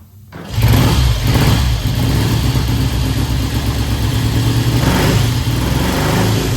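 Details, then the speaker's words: 1967 Triumph T100C twin, first start in about 30 years after new fluids and carb cleaning, started on about the fourth kick: steady even idle then clean revs, no knocks or misses; healthy. "Woo! That was the second kick. Headlights on too. Oh man, did you hear that? What was that, 4? I think 4 kicks. I don't think this bike's been started in about 30 years."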